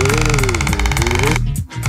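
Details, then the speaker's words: Demonstration rig, suspension fully extended so U-joint sharply bent while transmission turns at constant speed: fast rattling tick whose pitch rises and falls twice per turn as driveshaft speed oscillates, feeding into the differential; bent U-joint, fix is proper pinion angle. "this bent U joint is causing the drive shaft speed to oscillate isn't that crazy and the oscillation is going straight into the differential"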